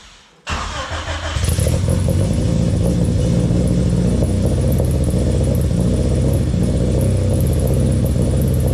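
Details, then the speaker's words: Honda Civic, rebuilt engine, exhaust temporarily mocked up without heat shields: engine catches into a fast steady idle with a faint tinny rattle/ringing underneath; cause was the mid pipe left unconnected, since tightened, no leaks found. "Alright guys, so when I had it started up, I noticed a little bit of rattling and I forgot to actually connect the mid pipe underneath. So I got that tightened up."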